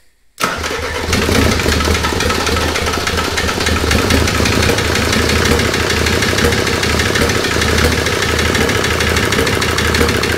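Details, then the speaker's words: OM602 turbodiesel from a W124 swapped into a Mercedes 190E W201, first start after about five years sitting, lines bled: catches and settles to rough clattering idle with sharp knock; last injector suspected knocking. "so it sounds like the last injector is knocking um you know like i said this engine's been sitting around for a very very long time now"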